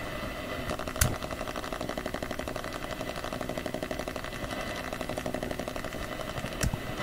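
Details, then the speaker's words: AM radio tuned to 1215 in a home shop; rapid rasping buzz about four pulses a second over steady hiss; owner suspects a USB hub's wall-wart power supply, noise frequency shifts as devices are plugged in; radio interference buzz, unconfirmed. "I think it's actually the wall wart that's causing interference"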